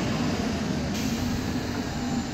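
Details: 2010 MAN Lion's Classic CNG city bus, MAN 2876 LUH02 EEV 290 hp engine, ZF Ecomat 6HP504C transmission: steady mid-pitched whine over the running rumble while cruising; noisy differential.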